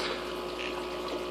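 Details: Aquarium air pump held off any surface: soft, steady hum with light airy hiss and no rattle; quiet, normal running, buzzing only starts when it sits on or rubs a surface.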